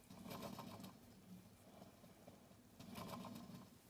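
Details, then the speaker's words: Late-1960s BSR/RCA console stereo record changer, reassembled after lubricating the thrust bearing, platter spun by hand: soft rolling rumble swelling and fading each spin, ball bearings audibly rolling, possibly under-lubricated. "there we go that spins relatively smooth oh those that are those the ball bearings making that sound"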